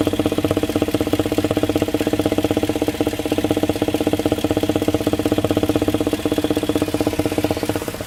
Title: '06 LM7 Vortec 5.3 Intake thumping noise, steady even when revving